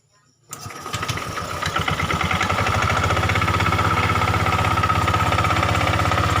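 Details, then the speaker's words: Honda Vario 125 injection scooter idling with a steady, rough knocking from the rear CVT gearbox, about four knocks a second; it fades when throttle is opened and returns when released. "jadi ada bunyi klotok-klotok di bagian daerah sini teman-teman bisa denger ya pada saat posisi idle RPM dia bunyi tetep"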